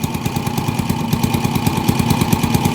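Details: TMX 155 single-cylinder motorcycle with hard starting, misfire worse uphill, no pull; owner replaced CDI without fix. Rapid popping with uneven stumbling beats and dropped firings; spark plug found defective, spark not staying at electrodes.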